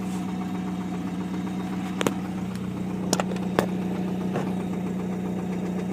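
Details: 1999 Chevy S10 2.2 with 5-speed, engine previously rebuilt and always stuttered. Rough idle broken by sharp, deep metallic bottom-end knocks: rod knock.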